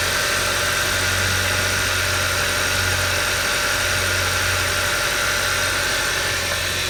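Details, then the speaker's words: 2011 Hyundai Sonata, high mileage, after a spun #1 rod bearing from low oil; crank journal polished with 400-grit and a new bearing fitted. Warm after about ten minutes running: steady, even idle with a smooth drone and no knocking. Acceleration seems fine. "okay so the vehicles that are running for about ten minutes now so much supply is they pumped up go ahead and wrap it up a little bit normal acceleration seems fine let's park it that sounds good"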